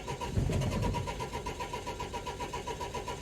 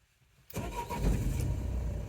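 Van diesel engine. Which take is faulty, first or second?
first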